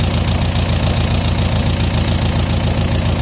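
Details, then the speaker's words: 1.9 ALH TDI turbo diesel swapped into a Dodge Ram 50 that had run out of fuel and bogged: even diesel clatter with no turbo whistle; owner suspects no boost, boost gauge not reading. "I don't hear the turbo in any way, shape, or form, which is kind of what I expected. I don't think that thing's getting any boost"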